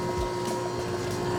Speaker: Yeah, because in the beginning it was just whipping liquid. And now you can hear it's like, it's almost like a pudding.